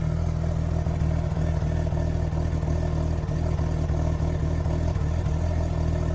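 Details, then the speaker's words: Mazda RX-8 bridgeport rotary on stock ECU, idle issue fixed by drilling a progressively larger throttle body hole: steady even burble around 800 rpm, no hunting or stumbling; healthy idle. "now idols around 800 rpms maybe a little lower maybe a little higher but uh yeah listen to it"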